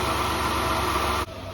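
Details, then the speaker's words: 2003 Mazda Tribute (Ford Escape) 3.0 V6 fired up after injector O-ring and upper plenum gasket job: steady high-pitched alternator whine over smooth idle that comes and goes, dropping away suddenly. "still got that alternator wind comes and goes"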